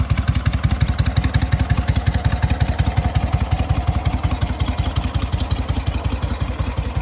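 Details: SOKÓŁ 1000 motorcycle after full rebuild, briefly warmed; deep even thumping about three beats a second, no howl or grinding from the newly matched 12V generator; healthy steady idle.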